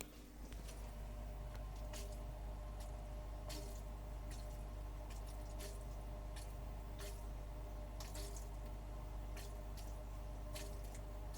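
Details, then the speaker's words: Happet ClarEx 1500 aquarium canister filter after three months of running: low pump hum with irregular wet squishing and dripping pops when CO2 is connected; without CO2 it runs relatively quietly. "Když není CO2 připojen k filtru, filtr pracuje relativně tiše. Když je připojen CO2, slyšíte přesně tento typ hluku."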